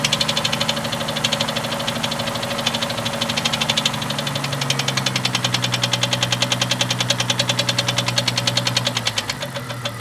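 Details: 1998 Jeep Cherokee XJ 4.0L, noise appeared overnight, persists after head removal and lifter replacement: sharp regular ticking about 2.5 per second at idle, following engine speed, seeming from the top end; owner unsure, doesn't sound like rod knock or piston slap.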